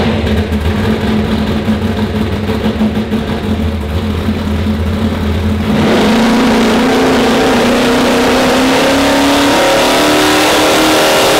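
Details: Car with a bigger turbo on the dyno, run with more timing pulled. The engine drones up under load with a slow, lazy climb and no sharp surge. Wastegates open early and bleed off boost; ignition timing is also being checked.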